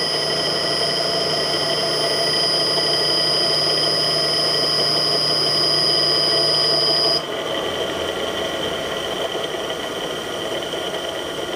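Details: Millport/Bridgeport mill motor running with rusted, worn-out ball bearings (6206Z bottom, 6205-2RS top): steady high whine and squeal.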